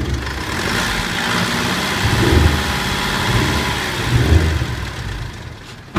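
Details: Older Mitsubishi 3.2 diesel with only light throttle problems, idling with an even low rumble and no isolated rhythmic knock, unlike a similar engine suspected of a failed big-end bearing at 70,000–100,000 km; bottom end sounds healthy.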